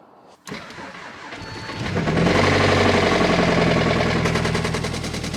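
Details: Audi S3 engine at idle after starting: a deep, even knock about four times per second over the idle, indicating a worn rod bearing; the timing chain was checked and is within spec.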